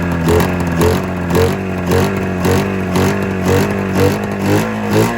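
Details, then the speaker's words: 27-year-old Arctic Cat Mountain Cat twin two-stroke snowmobile after new spark plug and ignition coil replacement: lumpy running surging about twice a second with a ragged beat, still firing on only one cylinder; owner suspects a fuel delivery fault. "yeah it's it's still only firing on one cylinder okay check this out"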